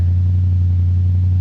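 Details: Ford Crown Victoria pulled from the weeds, fresh battery, first start: deep loud even rumble with strong low drone, no misses; runs smoothly but loud with no exhaust fitted.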